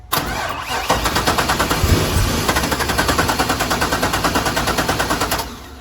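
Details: Wrecked C4 Corvette with LS1 V8: the starter turns the engine over evenly at about three beats a second for five seconds with no firing; cranks but won't start.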